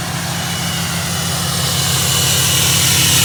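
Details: 2015 Ram 2500 6.7 Cummins diesel with G56 6-speed manual, 76,387 miles: idle clatter with a light, fast metallic clutch rattle about three per second, worse with the clutch pushed in.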